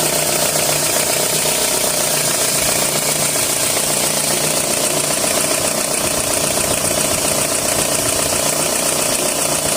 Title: @ 2003 Toyota RAV4 hissing and rattling noise